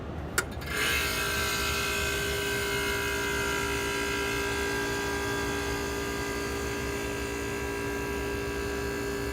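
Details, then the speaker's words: 1967 Sears Coldspot 6,500 BTU window air conditioner, rust-free except its pancake compressor: click as compressor switches on, then steady even hum, running normally; microphone moved near the compressor. "Click on the compressor. Go over by it there."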